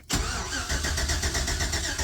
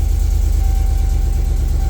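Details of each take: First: 1999–2007 classic GMC Sierra/Chevy Silverado crank no start: starter spins engine at steady even rhythm for several seconds but never fires; poor ignition coil ground leaves no spark, fixed by running coil's black wire to ground. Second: 1999–2007 classic GMC Sierra/Chevy Silverado after fixing a crank-no-start by running the black coil wire to a battery ground: engine runs with a steady, even low pulse and no misses or knocks, running normally.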